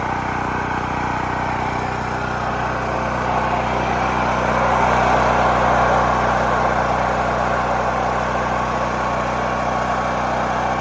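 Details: New Holland Agriculture 6500 W generator, previously seized after running low on oil, restarted with fresh gas, valve cover and spark plug refitted; even, steady drone holding governed speed, no knocking, grinding or surging; normal running.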